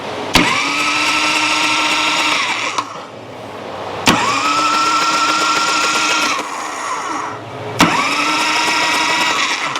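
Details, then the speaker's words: 1986 Harley-Davidson Electra Glide Classic Liberty Edition, sat 10 years, on jump pack: three cranking bursts of about three seconds with strong steady starter whir, never fires; no spark, old plugs suspected, not confirmed. "No, sounds good. Boy, it sounds great. But no, there is no spark to this. Okay, so no spark, but these plugs, you know, they're used plugs."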